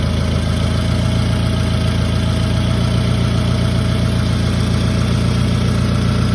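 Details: Toyota Camry engine at idle: deep steady idle with a soft tick coming and going about four per second; intermittent ticking, source not identified.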